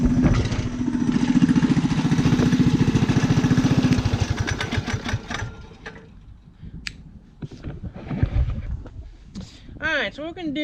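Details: Rat rod small single-cylinder idling on choke after new gas tank fitted to fix fuel problems: even chug at roughly three and a half beats a second, then fades out; normal idle.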